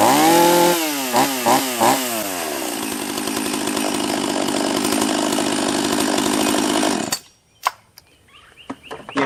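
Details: Husqvarna 44 chainsaw after a new carb kit (first suspected bottom end), base gasket removed to raise intake duration, after a cold start: a few quick throttle blips, then a clean steady high rev before shutting off, running properly.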